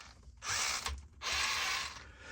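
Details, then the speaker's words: RC crawler (Element Enduro SE) on a Radiolink Cool 9030 brushed ESC with a 15-tooth pinion, because a 14 would not fit the short motor shaft. Two bursts of high, rough, gritty whirring; the mesh was not greased, so poor lubrication is suspected. "So I didn't have a 14 that would fit. So I went with a 15, which also is not gonna sound super great."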